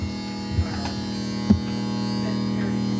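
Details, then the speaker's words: Heil/ICP N9MDP furnace powered on, won't fire up: steady electrical buzz with no fan spin-up, the inducer motor stalled and humming instead of starting. "hear there's a buzzing noise going on in there"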